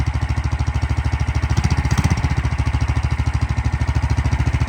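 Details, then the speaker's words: Big block single-cylinder mini bike, first test after sitting long and poorly set up: fast busy thumping around 200 beats a minute, idle speed set too high, being turned down. "Yeah, turn it down a little bit more, maybe. Yeah, there you go. Now you're down to idle. That's good. Yeah, too high of the idle."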